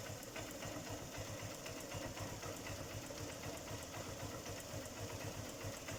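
Quick, sharp ticking knock about four per second rides over the idle, staying steady through the clip; a mechanical knock in the top end. Cause suspected, not confirmed.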